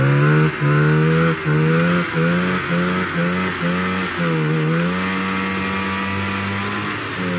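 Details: 1987 Arctic Cat Cougar 500 snowmobile (Suzuki two-stroke), long sitting, run from an auxiliary tank over suspected water in fuel: drone drops out about once a second, stumbling then recovering; cutting out, owner doubts carbs.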